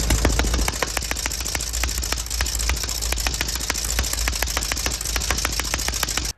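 Sharp uneven snaps about three to four a second over a rattly air-cooled idle, fitting rough, popping running from mis-set ignition timing.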